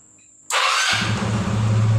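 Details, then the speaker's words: Yamaha Xeon scooter after injector cleaning for stalling at idle without throttle: engine catches and settles into a steady, even low idle without throttle, holding smoothly; fault fixed. "Oke, kita hidupkan motor. Kembali normal."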